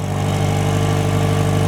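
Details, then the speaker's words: Warmed-up 2000 Toyota Camry four-cylinder after exhaust flex pipe repair: even, steady exhaust pulse at about 800 rpm idle with deep low thrum and no skips; idling cleanly, no misfire. "solid rice cake farts. Not a misfire at all."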